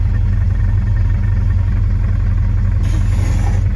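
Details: 1971 car, ready for the road before the paint shop. Deep steady rumble with an even low pulse and no knocks or misses: normal smooth running.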